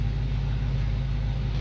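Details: 1966 Ford Ranchero, first start after brake, fuel system and ignition work, about 32 psi oil pressure at idle: steady, even low V8 rumble with no knocks, misses or hunting; idling smoothly.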